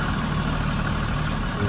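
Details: 1991 Toyota Supra Turbo MK3 7M-GTE idling with a low, uneven rumble and steady high hiss from a disconnected vacuum hose meant for the blow-off valve/accordion pipe. Idle recovers once the leak is found.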